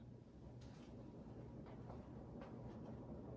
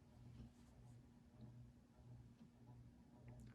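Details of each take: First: Old Jacksonville Jackson 52-inch ceiling fan on high after bearing re-grease, two warped blades set on opposite sides. Quiet low hum with faint irregular ticks, no grinding; acceptable. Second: Old Jacksonville Jackson 52-inch ceiling fan after its dry motor bearings were greased: faint steady low motor hum with an occasional slow tick; owner unsure if it is the variable speed control or something rattling inside.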